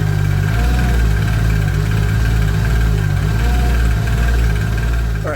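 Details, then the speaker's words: Supra idling after a drive, faint light ticking over a deep idle that rises and sags unevenly; owner doubts rod knock and suspects the lower crank trigger wheel/crank angle sensor has shifted or misreads. "So you heard that, you heard the ticking sound. The reason I don't think it is rod knock is because you could hear the change in the idle. The idle is kind of hopping around."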